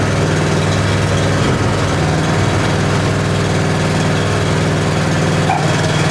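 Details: Honda small engine with 6.1 hours, sat unused since last spring, just cold-started on choke on a cold morning; even, steady low putter with no misses, knocks or surges; idling cleanly.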